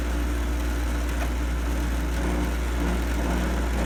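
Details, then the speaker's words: GoldStar window air conditioner running; loud, constant deep hum with a rough, buzzy edge that sounds horrible, though the unit is working; loud rough running noise, cause unclear. "okay that sounds horrible but yeah it's working it is working"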